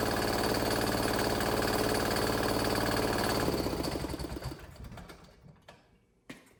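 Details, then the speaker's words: 168F 3.5 HP Chinese single-cylinder diesel after pull-start to electric start kit conversion: even starter cranking about 220 beats a minute for three seconds, then coasts down without firing; may need injector bled again, suspected. "Turn the key. All right, everything works. I don't know if it's gonna start or not. Might have to bleed that injector again, but that's awesome, guys."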